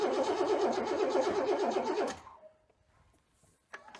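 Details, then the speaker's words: 1997 Chevy Silverado C1500 2WD with a 5.7L Vortec V8, sat for years: about two seconds of even cranking at decent speed with no firing. The fuel pump wasn't heard and no fuel is suspected. "I'm assuming we don't have any fuel yeah I would agree with that"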